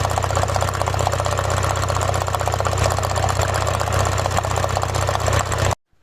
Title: P1666, P0301 cylinder misfire, electrical error, engine rough idle shaking/ rateu tremura la ralanti